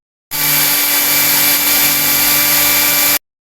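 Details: Blender after fitting a replacement dynamo motor (old one dirty and jammed), on test: even high-pitched whir at constant speed for about three seconds, smooth with no rattle or grinding; motor runs healthy.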